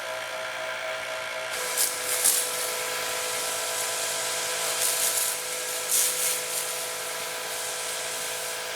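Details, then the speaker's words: Electric pressure washer on test, running 3.0 to 2.5 nozzles at about 750–800 PSI: smooth, constant hum with steady pitch, no knocking, grinding or surging; pump sounds healthy. Normal running. "I mean I don't think there's anything wrong with this sounds healthy it's working okay"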